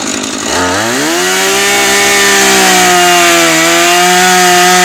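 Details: Refurbished Husqvarna 435 chainsaw cutting wood: revs to a high steady scream and barely sags in the cut, chain not biting and burning through; dull chain.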